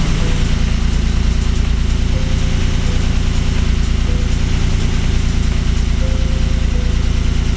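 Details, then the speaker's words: 1979 BMW 633CSi after first start in 5 years, straight-through exhaust with X-pipe: deep, even exhaust burble about three pulses a second, no misses or rattles; healthy, moderately loud note. "I'll include some clips of the exhaust raving it sounds really good I have an x pipe it's pretty much a straight through with an x pipe um doesn't sound too loud and yeah you'll hear it next"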